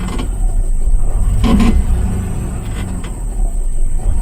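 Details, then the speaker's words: 2000 Ford Expedition 4.6 V8, about 30–40k miles, stalling only in drive and fine in neutral: idle in gear surges and sags with a loose valve-like rattle, attributed to the transmission. "see that surgeon you hear those valves out there trying to Rattle that my friend is in the transmission"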